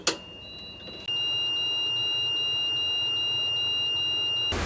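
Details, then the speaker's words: Catamaran bilge high-level alarm tested by manually lifting its float: steady high-pitched electronic beep starts sharply as the float lifts and holds; alarm working. "And then the high-level alarm is just up here. And just lift it and you'll hear it beep."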